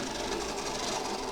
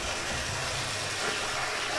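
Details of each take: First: Second-hand Oxford Rail Class 415 Adams Radial 4-4-2T model locomotive on a test track; the motor gives a dry, rough buzzing whirr that sounds like it needs lubricating, before servicing. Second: Oxford Rail Class 415 Adams Radial 4-4-2T model on a Gauge Master Combi controller, full speed after main gear greased and pickups adjusted: even light whirr with faint wheel clicks, a lot quieter than before, no grind; normal running.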